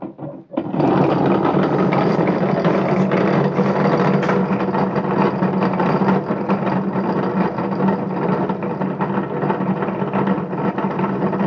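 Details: A steady, rough whirring rumble with a gritty rattle from a BMX rim spinning on a Bedini free-energy motor, caused by worn, bad bearings.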